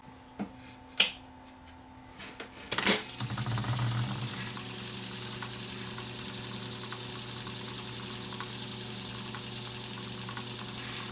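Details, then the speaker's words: Sony TC440 reel-to-reel, which had smoked and lost fast-forward, after repairing the resistor-capacitor hybrid component: clicks, a thunk as transport engages, then steady hum and whir running evenly; fast-forward and rewind work, play not engaging yet. "forward is now working oops guess I should have this over that guy there so fast-forward works now rewind works"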